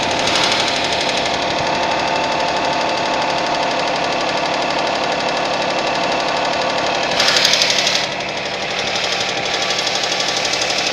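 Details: Suzuki Vitara engine at cold idle with a fast, fairly even tapping about four a second over the engine hum; cold-start knock, source not pinned down.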